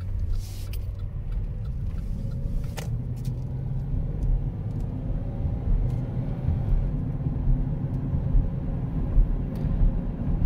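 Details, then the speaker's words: 2009 Chevrolet Impala driving at road speed on a warm day after wheel bearing, brake and alignment work: deep steady growl and rumble from winter tires fitted on the rear, no knocks; tire noise. "I put them winter tires on the back and man you can hear them growling cuz they don't like being on the road when it's this warm out"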